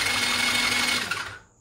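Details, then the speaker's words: TaoTao ATA110 110cc ATV engine after top-end rebuild (new piston, rings, sleeve, valves), valves set, before compression test (~155 psi): brief, even high-pitched starter whir, no grinding; normal healthy cranking. "all right i got it all set up we're gonna go ahead and recheck for compression let's uh go ahead and turn the start over make sure it sounds good"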